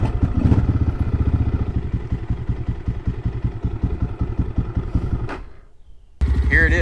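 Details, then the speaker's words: XPro Templar X 250cc dirt bike fitted with a new 30mm Nibbi carburetor, idling from cold; steady, even single-cylinder thump, three to four beats a second, no stalling, where it was previously hard to idle cold. Normal cold idle. "so dude she's on there she's running it's idling from a cold maybe it is as good as everybody says cuz literally this bike was a pain in the butt to get idling when it was"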